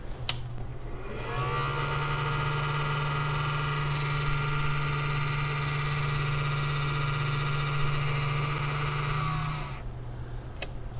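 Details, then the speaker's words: 800 W power inverter cooling fan at about 30 degrees: steady low hum with a rough whirring edge. The owner believes the noise is temperature related because it went away once warmed indoors. A tired bearing is suspected. "good afternoon today's project is we're going to see if we can't figure out why the cooling fan on this 800 watt power inverter is making so much noise more importantly we're going to see if we can't get that fan to quiet down"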